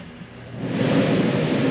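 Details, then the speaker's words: Jayco Jay Flight SLX 32BHDS travel trailer roof air conditioner switched on at the hallway thermostat: rushing airflow swells within a second into a steady, even whoosh; the AC starts and runs normally. "there's your ac brush i'd like to keep it on shut that off notice the ac shuts off rather quick"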